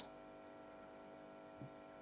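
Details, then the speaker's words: AEL-2011 50W power amplifier after repair, speaker connected and supply on, no signal playing: a faint, steady low buzz at idle from the input leads picking up mains hum, not an amplifier fault. "A bit of buzz there. That's just input leads."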